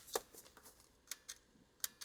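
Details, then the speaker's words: Nintendo Wii console reading a known-good disc: sharp uneven clicks about three per second, loud, with an error screen; failing optical disc drive. "So this disk drive was clicking very loudly as I was trying to access the data on this. I already was thinking that this was bad."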